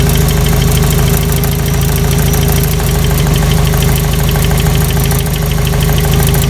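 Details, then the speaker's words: 1985 Toyota pickup 22R 2.4L carbureted, long sat: steady idle with light tapping about three or four a second; owner unsure if chain slap or piston slap, sound changes significantly with number two plug wire pulled; light knock at idle. "one thing i did uh notice earlier i've been trying to figure out if this is a chain slap or maybe piston slap and if you take uh number two off here there's a significant difference in sound"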